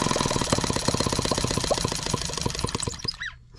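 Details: Microcosm H76 twin-cylinder engine after pulling a fouled spark plug (covered in crud) from the misfiring cylinder, with water hopper off: quick, even firing pops, about four a second, both cylinders firing, then it dies off.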